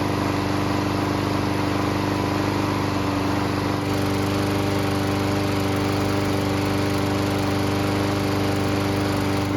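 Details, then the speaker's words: Bolens mower with a small single-cylinder engine after fixing a no-start problem, primed and rope-started: steady, even buzz with no stumbling or knocks; normal running, though it later had trouble restarting hot. "All I know is that most all the other major problems with this engine have been taken care of, so it should start and run."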